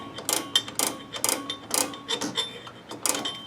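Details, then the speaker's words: 2001 Toyota Corolla rear drum brake during shoe replacement: a screwdriver turns the adjuster after the drum spun too freely, giving sharp, dry metallic ratchet clicks about twice a second. This is normal adjuster clicking. "we're just going to adjust this just a little bit hear the clicking that's a normal sound"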